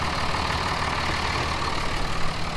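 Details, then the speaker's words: Salvaged Dodge Cummins diesel, first start after putting Marvel Mystery Oil in the cylinder and clearing codes: steady even idle clatter, good oil pressure, slight smoke puff; healthy engine. "good oil pressure good idol god lee listen to that baby purr oh yeah she puffed out a little smoky smoke"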